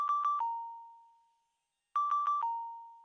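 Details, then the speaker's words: ReSound Aventa hearing aid fitting software demo of the low battery warning: quick high beeps ending in a longer, slightly lower tone, played twice; beep frequency (high/low) and level are adjustable. "you can use the play buttons to demonstrate the beeps for the patient the delayed activation the low battery warning"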